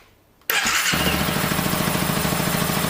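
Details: 2012 Honda CBR 250 R, more or less cold, fuel pump primed: a short crank, then it catches at once into an even, steady single-cylinder beat; a clean, normal start.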